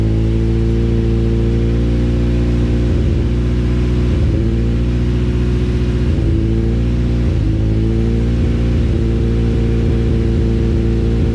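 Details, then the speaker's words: Honda CRX with all-motor B17 engine, full exhaust and new wideband bracket after fixing a rattle; cold start settles to a steady, even idle with short throttle blips and no rattle or knock. "i'm gonna start it up quick and give you guys like a little sound clip and uh just to see what it sounds like with the full exhaust"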